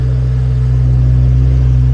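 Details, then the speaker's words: Jaguar V12 stored for winter, started for its monthly warm-up with good oil pressure and charging: a deep, smooth, even hum with a steady low drone and no ticks or stumbles; healthy normal idle. "we've got oil pressure got everything up and running"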